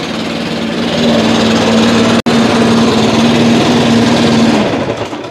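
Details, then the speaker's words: Small two-stroke lawn care engine started after sitting five months on ethanol-free fuel with no stabilizer, using manual choke and prime, firing in two to three pulls: revs up to a steady, even buzz with no misfires. Normal running. "so recap ran solid only about two to three pulls and it fired right up"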